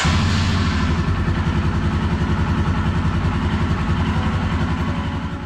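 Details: Royal Enfield Himalayan 411cc single idling after a 5,500-mile oil change and valve adjustment, on a roughly 50°F day: an even, steady thump at about three and a half beats a second with no ticks or knocks. Healthy idle.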